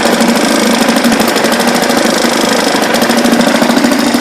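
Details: 1976 Ted Williams Sears ESKA Gamefisher 7.5 hp air-cooled Tecumseh two-stroke outboard, carb and fuel lines redone, restarted in neutral: loud, fairly steady popping about three per second, no misses; idling cleanly.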